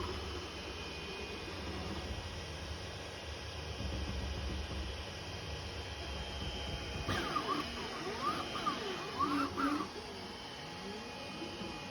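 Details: FLSUN V400 3D printer at 400mm/s after lubricating the carriage roller bearings with 3-in-1 mineral oil: steppers sing rising and falling tones through fast moves, no clicking. Clicking has not returned after 50+ hours.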